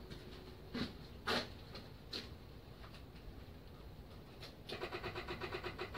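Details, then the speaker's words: Yamaha Virago XV535, first start in months, battery charged, key-on: a few clicks then quiet rapid buzzing pulse; normal electric fuel pump priming. "There's fuel pump. Give it a bit of choke."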